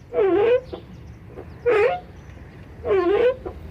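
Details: VW Gol G5 door swinging: three loud drawn-out groaning creaks about half a second each; dry hinges squeaking, other door similar but less.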